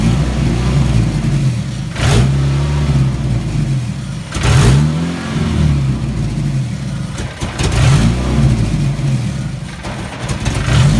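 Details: Chevrolet S10: an uneven, lumpy idle that stumbles and bogs briefly on each rev before picking up; misfire or fueling fault suspected, cause unknown.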